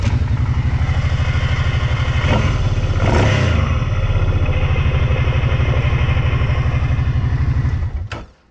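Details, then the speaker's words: 2020 Kawasaki Brute Force 750 V-twin ATV, just snorkeled: loud, fast rhythmic chatter on startup, roughly three pulses a second, until it shuts off; normal torque converter chatter. "i'm about to start up and y'all are going to hear the little chatter from the um torque converter that is completely normal"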